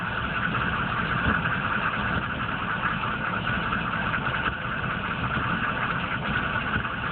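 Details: 1995 GMC K3500 6.5 turbo diesel, 78,000 miles: lumpy idle with irregular thumps. It misses under full load at driving speed, dies off throttle and sometimes won't start for a day or two. Codes stored; owner suspects the PMD or injection pump, unconfirmed.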